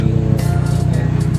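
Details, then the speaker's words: 2009 Honda City i-VTEC, previously losing power on the toll road with unstable idle RPM, after a tune-up: low, steady, smooth idle with no hunting; problem resolved. "sekarang suaranya sih udah lebih stabil ya. Jadi kemarin mah sedikit apa sih ya, tidak stabil suaranya, RPM-nya tidak stabil."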